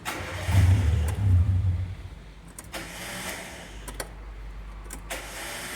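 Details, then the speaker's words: Car, possibly a VW Gol, cranking: a harsh low rattle for about 1.5 seconds, then quieter running, with one start attempt failing. Abnormal starter noise, suspected to be in the starter drive or pinion and not confirmed; it could eventually stop the starter working. "e esse é o barulho tá esse é o defeito do carro aí se caso você tenha esse problema aí é necessário ver o quanto antes porque vai chegar uma hora que o carro só vai pegar no tranco"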